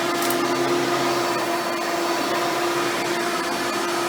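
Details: Hoover Spectrum (Elite-style upright vacuum) run after installing a new belt and brushroll: steady motor whine with even airflow rush, no belt slapping or squealing; healthy, running properly.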